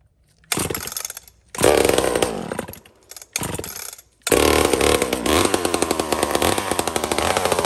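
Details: Homelite XL76 chainsaw, the fastest little saw the owner has: crisp two-stroke blips, then a sharp climb to a clean, steady high rev; revving freely, running normally.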